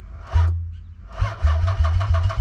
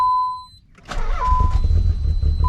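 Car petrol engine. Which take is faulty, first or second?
first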